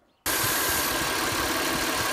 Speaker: it's a hissing noise and it can come from again many different parts of your engine has to do with your vacuum system and therefore it will usually trigger a check engine light